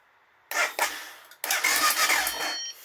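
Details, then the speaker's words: BMW F650GS laid up 5 years, fuel pump replaced and injector removed as suspected faulty; two short starter bursts, engine turns freely without firing; cranks but won't start, fuel delivery being checked. "So pump on when you turn the key on, and then when you're cranking it, I mean, we'll try and crank it actually just to see if anything happens."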